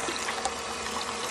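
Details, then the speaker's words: Installed water softener during its early-morning purge cycle: steady, even splashing trickle of rinse water pouring out with no machine noise as it rinses, purges and refills; purged water discharging in excess, damaging vegetation. "it rinses the purges and then it fills all the glass inside here"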